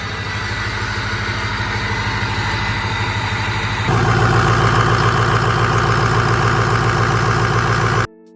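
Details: Ford Power Stroke diesel truck after installing a new exhaust back pressure sensor and cleaning the air filter: diesel chugs evenly at about 214 pulses a minute, then steps up to a louder, faster idle. Runs steadily with no obvious fault.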